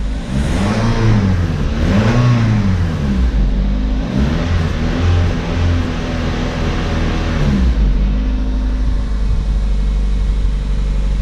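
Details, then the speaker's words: Matrix project car after reassembly, engine revved up and down then idling: faint odd whir on the revs that the owner says doesn't sound right; cause unknown, he may be imagining it. "That don't sound right. Like, I don't hear that. That noise right there."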